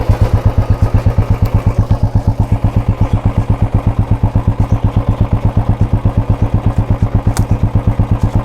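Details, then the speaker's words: Royal Enfield Bullet 350, heard from behind at the silencer: steady, evenly spaced single-cylinder thumps with no misses or rattles; normal idle before revving. "इसलिए ऐसा लगता है कि यह सामान्य ध्वनि कुछ इस तरह।"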